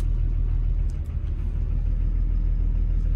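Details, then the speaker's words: Diesel DA30 dumper engine at idle during a laptop injector cut-out test: heavy idle with a steady low knock about three times a second and black smoke, persisting with injector number one cut, so number one is not the faulty injector. "bit of a diesel knock bit a black smoke beling out of it too so we'll see I click number one still got smoke still hear the knocking noise it's not number"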